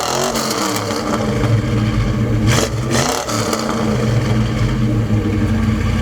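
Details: 1972 Chevelle Malibu 383 V8 after fitting Doug's 1 5/8 x 3" headers and Flowmaster 2.5" H-pipe exhaust, under load on a drive: deep, loud choppy burble swelling as revs climb; louder inside and out, deeper tone, more chop; normal healthy exhaust note.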